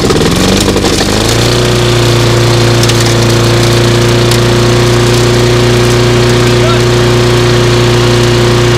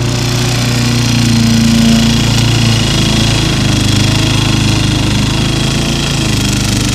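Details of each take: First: Small single-cylinder lawnmower after repair, pull-started, catches after a few pulls and settles into a steady even drone with no misses; sounds pretty good. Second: Repaired small single-cylinder lawnmower mulching with the top cover on, engine droning low and bogging. It is labouring because the grass is too tall and wet. Smoke comes from oil, and probably parts-washer residue, burning off.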